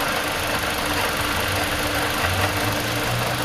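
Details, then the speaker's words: 2015–2017 Toyota Corolla engine idling, noise traced with a hose to the water pump, before replacement; rough gritty drone with faint steady whine over idle; worn water pump bearing noise. "The sound's coming from the water pump. We bring new one, we're gonna change it. That's making noise."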